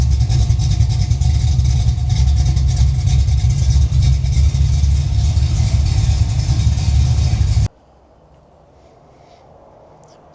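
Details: Holden VL Calais 304/308 V8 Pro Street build after cooling system work, viscous fan: deep, lumpy burble, steady and even for several seconds before shutting off, no knocks or misses; healthy idle, alternator now charging.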